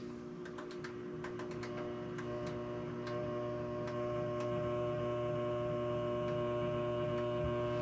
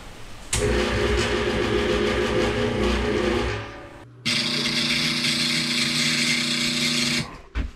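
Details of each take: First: First alpha MidNite Solar Rosie inverter running off-grid at 240 V with its charger turned on low at 21 A: a low, steady electrical hum that firms slightly with a few faint clicks. This is normal charger noise. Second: First MidNite Solar Rosie inverter, off-grid, trying to start a large Ingersoll Rand air compressor. The compressor motor strains with a droning hum, drops out, surges, then cuts dead as the inverter goes into oscillation and shuts down.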